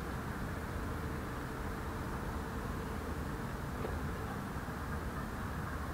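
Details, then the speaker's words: Multi-fuel (primus-type) camping stove after preheating, with the valve reopened so the fuel is vaporised. A steady, even jet-like roar with no sputter or pulsing. Normal burner roar. "Jak słyszycie, nieźle szumi jak odrzutowiec i możemy się cieszyć ciepłą herbatką, którą sobie zaraz zrobię."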